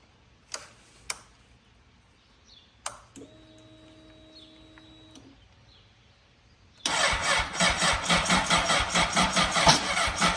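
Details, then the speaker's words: 2003 Honda CBR600RR, sat about three years, dead battery, jump box not charged: a few clicks, then slow labored starter churning about two beats a second that never catches; slow cranking, no start from weak jump pack. "battery is completely dead which I thought it was charged but got the jump box on and let's see what happens"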